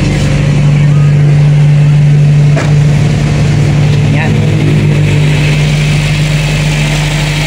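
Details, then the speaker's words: Toyota Corolla 2E carbureted engine just cold-started with cold-start idle-up, no throttle: steady, even low hum holding a raised ~1,000 rpm idle with no misses or stumbles; normal cold fast idle, expected to drop on its own within 3–4 minutes. "maghintay ka lang ng mga 3 to 4 minutes, bababa ni RPM automatically. Hintay lang natin."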